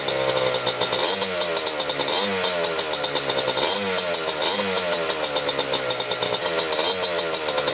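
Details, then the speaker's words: 1987 Kawasaki Tecate 4 250cc two-stroke quad, freshly rebuilt, first start: crisp, even buzz with light throttle blips about every second, no misses or knocks; normal idle. "we're just gonna flip the throttle now. Idling perfect now."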